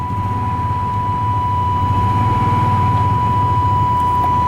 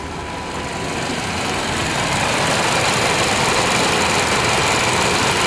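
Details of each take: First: 1998 Chevy Vortec V8 running again after 10 years sitting, following a Passlock reset: steady, even idle with a smooth low rumble and a faint constant whine, no knocks or misses, charging, with plenty of oil pressure; normal idle. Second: 1998 Chevy Vortec V8 truck started after about 12-15 years sitting, following a Passlock reset and oil in cylinders, nearly out of fuel: slightly uneven, lumpy idle about three or four beats a second, a little rough, smoothing as it runs.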